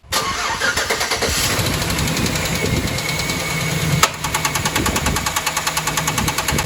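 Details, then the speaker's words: 2010 Chevrolet Silverado 1500 5.3L V8 with AFM, before teardown: starts and idles rough with fast loud tapping and occasional sharp pop from one side; locked-up AFM roller lifter and severely damaged camshaft found, AFM delete installed. "this is making a really loud tapping noise and i don't know if you guys heard that but every now and then there's a really loud pop and it sounds to me like it's coming from this side of the engine"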